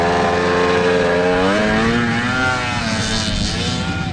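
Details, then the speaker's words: Old two-stroke 440 triple XLT Indy snowmobile revving through deep snow on a test run, buzzing note wavering and stumbling unevenly down low, missing some cylinders at low rpm, also somehow overheating; cylinder misfire at low rpm. "nope she's missing some cylinders down low for sure"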